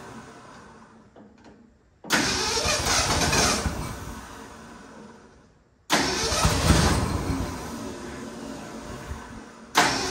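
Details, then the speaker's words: 1967 Ford F100 that sat 28 years. Two loud, rough bursts of firing a few seconds each on a spritz of fuel, then dying out; it catches briefly but won't keep running or idle. "All right, so we have a runner. So now what we're going to do is figure out how to make it idle, not just start for a second."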